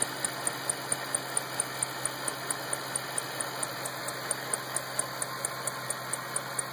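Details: 2008 Shelby GT500 engine ticking at idle: light, sharp tick about twice a second over a soft hum; source of the tick not clear.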